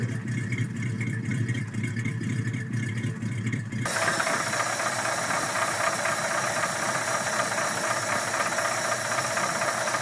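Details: 302 small-block Ford V8 firing up after sitting six months: rough running with an irregular diesel-like tap-tap chatter about two a second, then hiss; teardown found a deeply gouged cylinder wall, piston slap, likely from overheating.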